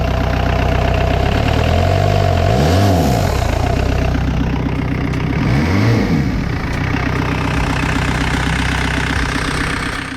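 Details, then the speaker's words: Diesel-swapped Suzuki Samurai, started after glowing the plugs, with a 2.5-inch downpipe into a stock-style 2-inch Cherry Bomb exhaust that is too quiet: deep, even diesel clatter at idle, swelling smoothly through two throttle blips and settling back; normal. "it is way too quiet i put the downpipe to the stock all stockish cherry bomb exhaust two inch"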